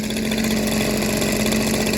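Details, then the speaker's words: Echo PB230LN handheld two-stroke blower after new carb diaphragms fixed a no-rev fault: steady, even buzzing idle with no hunting, surging or misses; tach shows idle and max 7330 rpm within Echo spec, so no mixture screw adjustment is needed. "I don't have to worry about taking out any of the mixture screws. The idle is where it's supposed to be."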